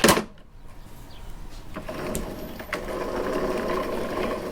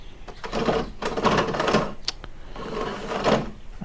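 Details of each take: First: Toro Recycler mower with no self-propel, wheel back on and hand-spun to check the drive gears: smooth, quiet whirring with no grinding or clicking; this side's drive wheel turns freely and sounds fine. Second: Toro Recycler self-propelled mower with no self-propel, wheel spun by hand on the mower: rapid dry clicking in bursts rising and fading with each spin; drive wheel suspected over gears, not confirmed.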